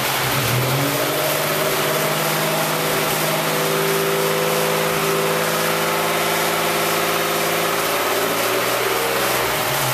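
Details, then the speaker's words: Freshly started swapped engine in a Lumina, cold, oil not yet circulated: light fast ticking over idle, no piston slap; lifter tick from low oil pressure at cold start, fading as oil warms. "all right you hear a little bit of lifter noise we have to wait for the oil to fully circulate throughout the engine but there's no piston slap so that's what I'm happy about"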